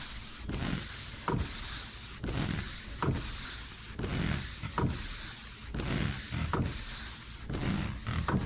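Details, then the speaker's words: Ford F450 with wipers not working, wiper motor powered directly by fused jumper: steady whir with an even sweep about every two seconds and a soft thump at each reversal; motor and ground good, fault in relay or control. "so when I let off our wipers stop working okay so what does this tell me this tells us that the wiper motor is good the ground to the motor is good also"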